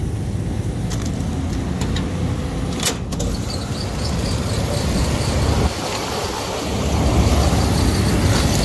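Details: Rooftop condensing unit of a large ice flaker, started up after replacing two worn contactors: steady low rumble from compressor and fan, smooth and even with no chatter or cycling; condensing unit running normally.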